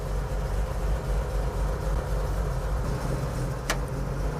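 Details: 1950 Chevy truck, first start after floor and cab-mount rust repair, low on fuel, oil pressure climbing to about 35 psi. Even, settled low idle on choke with a smooth steady beat and no knocks or misses; a healthy engine warming up.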